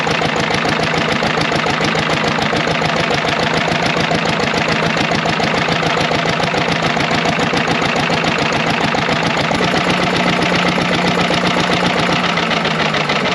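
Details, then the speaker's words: Large, heavy, low-horsepower air-cooled Lister diesel, bought sight unseen. Just started cold after its starter was fixed; it leaks oil. Steady, even, rapid chug with no knocks or misses; it sounds fairly decent and should improve once warm. "it works they both run sound fairly decent i think once it heats up it'll do better"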